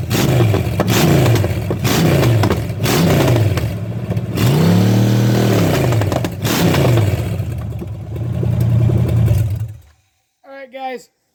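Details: Chevy small block 305 running with a distributor taken from an Impala: strong, clean blips rising and falling smoothly through the revs, no misses or knocks; healthy V8.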